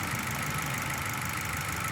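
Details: Petrol engine idling: a slightly uneven, lumpy beat with misfire; an exhaust-manifold and vacuum pressure trace shows a poorly sealing exhaust valve, and a head removal with valve seat machining is needed.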